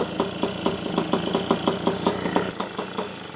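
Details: Polini 65cc Puch Maxi moped, freshly built and warming up during running-in after idle adjustment. A slow popping idle of about four beats a second, slightly uneven; owner suspects it is slightly lean and the jetting/needle needs work.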